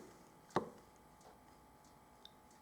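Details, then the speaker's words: Harley-Davidson after a handlebar grip change, with the switch gear refitted: a single sharp click, then a faint tick, in a quiet room; the brake light switch is working. "that's just making sure that your brake switch is working"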